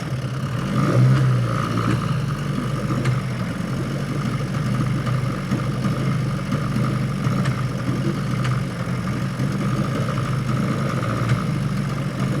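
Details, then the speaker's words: Outboard on a 1963 14-ft Sea King boat, abandoned for years, running at a rough steady idle with occasional sharp backfire pops. The spark plugs are out-of-production old ones needing replacement; cause not yet confirmed. "Yeah. Backfiring pretty bad, too."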